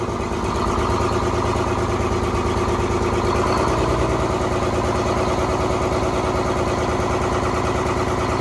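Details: 1970s Crane Carrier 10-wheel-drive truck, Detroit 6-71 two-stroke diesel, after freeing four stuck injectors: fast, busy even beat, firing on all cylinders and holding a steady idle without stumbling.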